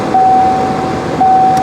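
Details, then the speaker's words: 1990 Ford Mustang GT 5.0 V8 manual, 16,000 miles, stored in a barn for 30 years: heater blower on the slower speeds gives a steady airy rush and even hum with no rattles or scraping; it works normally. "Does it work on the slower speeds? >> Yeah. >> Heater works."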